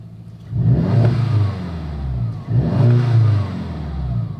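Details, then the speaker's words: MK6 VW Jetta GLI, 250,000 miles, believed to have a badly stretched timing chain, restarted after reassembly: fires right up and idles perfectly; two clean throttle blips rise and fall smoothly with no misfire or rattle; normal revving. "man this thing's running good let's [Music] see uh motor sounds pretty normal"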